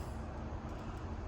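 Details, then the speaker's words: Prevost bus basement AC unit on a test box: compressor 1 runs, started by pushing the high-pressure limit switch. A deep, even compressor drone with no condenser-fan whoosh; the outdoor fan is not running, so head pressure climbs and the compressor trips. "So this unit here, we've got to figure out why we have no outdoor fan, because that's why the head pressure's climbing and that compressor's tripping out."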